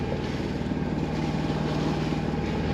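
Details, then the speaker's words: Sailboat diesel engine motoring after diving to remove plastic wrapped tightly around the prop shaft at the cutless bearing: steady low thrum with even pulsing, no vibration or laboring, sounds strong; normal running. "After I pulled the plastic off, the engine sounded good the rest of the day. No more vibration. Sounded strong."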